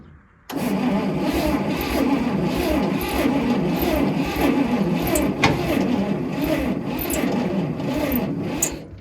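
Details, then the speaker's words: Old Bantam truck crane that sat in a quarry for years, with carb cleaner sprayed in and spark from the coil: steady, uneven starter cranking for about nine seconds with no catch; crank no-start, with the cap and rotor suspected. "All right, nothing. So I'm gonna go ahead and take that as our cap and rotor needs some help if we're getting spark out of the coil."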